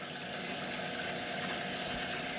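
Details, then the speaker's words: B&G circulator pump after replacing the bearing assembly and impeller (motor mounts and coupler replaced earlier): smooth, even hum and water rush with no knocking or grinding, pumping normally. "so i'm gonna hit my on button to the pump and look at that sound it's pumping water as he never had before"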